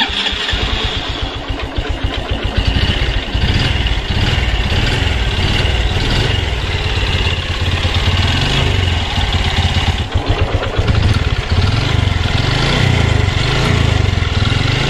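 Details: Honda Revo FI fuel-injected motorcycle: catches and settles into a coarse, uneven idle with a harsh low rattle underneath; rough engine noise, cam chain checked first, cause not confirmed.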